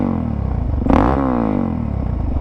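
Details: 2009 Suzuki DRZ400SM single-cylinder supermoto with a 3x3 airbox mod, after a fix-up: crisp thump climbs and falls smoothly with the throttle, with no misfire, clatter, hesitation or smoke; the engine is running healthy.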